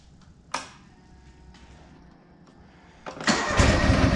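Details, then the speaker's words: John Deere 425 mower started after finding broken spot welds and a hole in the muffler: engine cranks, catches and runs loud, raspy and puffing, with exhaust visibly escaping from the muffler hole. Exhaust leak. "oh there's definitely exhaust coming out of there"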